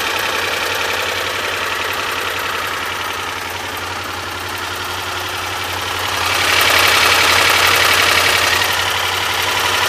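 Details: 1986 Honda VFR400 NC21 V4 motorcycle at idle: a steady, even knock of about four beats per second over the engine note; the cause is unknown.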